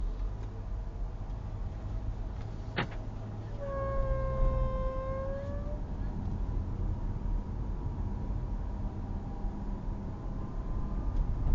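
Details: VW Tiguan 1.5 TSI: over low engine rumble, a sharp click followed by a brief slightly rising whistle; cause unknown, owner asking for help.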